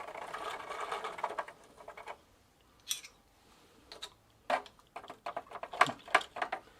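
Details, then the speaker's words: 1993 Gazelle Speciaal bicycle, rear wheel spun with pedals turned by hand after drying in the sun: irregular light scrapes and ticks; the owner thinks the chain is rubbing against the chain case. "Hmm, I guess, that looks as expected :) Sounds like the chain is rubbing against the chain case."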